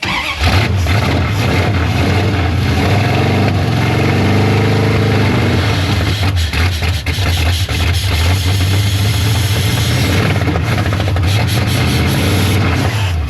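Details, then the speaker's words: 1973 Dodge Charger, 383 big block, bottle-fed fuel, choke initially closed: loud, lumpy idle with uneven low beat and surging revs; runs on eight cylinders but rough, carburetor suspected to be bad. "No, this thing just not happy. >> It runs. >> Yeah. >> On eight, but uh >> it needs a carburetor."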